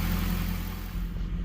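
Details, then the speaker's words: 2002 Pontiac Trans Am Formula WS6 V8 with Flowmaster exhaust, after sitting for years, first start after a fuel pump change and injector flush: deep, even burble with no misses or knocks; normal idle. "That Flowmaster doesn't sound too bad. I like it to be a little bit louder, but you know, it's not bad."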